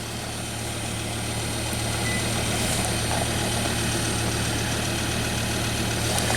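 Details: 2005 Volvo V70, 212,000 miles, crank no-start case, running on a fuel pump bypass test with the pump full-fielded near 10 A: steady low rumble at idle, even beat, no misses or knocks; normal idle.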